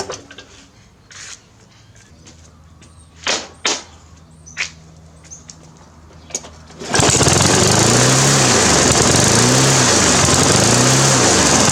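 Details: Briggs & Stratton 350 Classic mower engine revs rise and fall about three times a second in steady hunting, even after new governor springs and carb diaphragm and gasket; surging caused by a big crack in the fuel tank at the carburetor joint.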